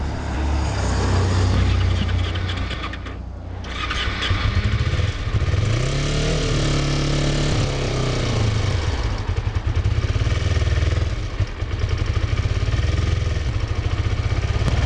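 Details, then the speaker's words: Used Kawasaki Ninja 250R, apparently dropped on both sides, started on choke during a purchase inspection; uneven revs, lumpy stumbling idle and hesitant pickup, sounds sick, thought to need a tune-up; cause not confirmed. "This bike really needs a tune-up. This bike sounds sick. Like it's... Something's not jiving there."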